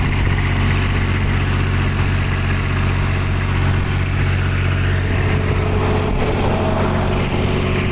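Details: Kubota tower light diesel: a steady, even idle with a smooth low thrum and no misses, knocks or hunting. Normal idle.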